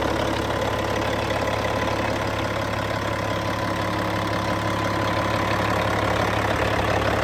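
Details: Cat C15 diesel, serial BXS25611, 900,206 km, 23,916 hours: steady, even idle with smooth regular beat and no knocks or misses; engine sounds healthy.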